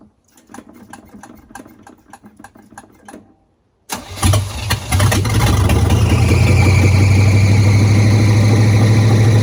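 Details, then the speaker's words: Small-block Chevy V8 swapped into a former TBI/automatic Chevy truck, first start, no exhaust fitted (open manifolds), no coolant temp sensor yet, oil on manifold: light clicks, then loud raw blatting rumble. "I still need to do exhaust on it but I figured I would uh let you guys hear it it has no exhaust so it's just open pipes"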